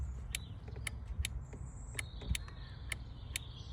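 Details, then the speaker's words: Car power window not moving, switch confirmed sending signal with test light: each switch press gives a sharp click from the door module but no motor whine. "the windows still doesn't operate if you listen to it you can hear more than one click so I'm clicking the switch and I'm getting another click from inside the door panel"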